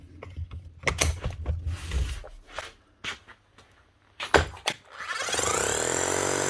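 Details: Bosch GSH 5 CE demolition hammer, fully serviced and rebuilt with a new motor under warranty: after handling knocks, fast, even, solid hammering with no rattle or grinding; working like new.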